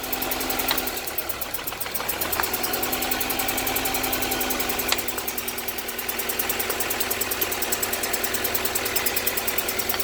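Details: 1998 GSR at idle with code 73, a suspected cylinder 3 misfire. The idle hums with a loose, uneven ticking about four a second that stumbles now and then. The cause is not confirmed.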